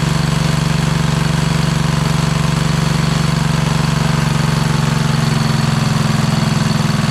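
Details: Kohler Courage engine repowering a Craftsman LT2000 lawn tractor, first run after remounting the engine; steady single-cylinder idle with a light, quick ticking over the thump from noisy lifters. An oil drip appears afterwards.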